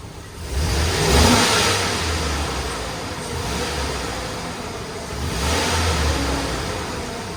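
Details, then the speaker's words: GMC Yukon with new AC Delco 15-4694 fan clutch, back in the garage after a test drive: two clean revs, no fan roar building; fan clutch normal, problem fixed. "so just like that I think it fixed it it definitely you can tell the difference you're driving down the road sounds so much better"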